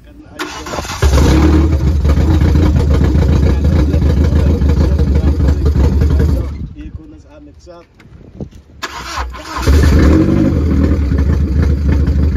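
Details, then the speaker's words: Car after removing a piece of plastic stuck in a pipe to the fuel float that restricted fuel and kept the regulator from holding the needed 6 bar: cranks, catches, settles into a steady idle, dips briefly, restarts and runs evenly; starting consistently now. "so right about now you'll notice we got the car to start and more consistently this time around"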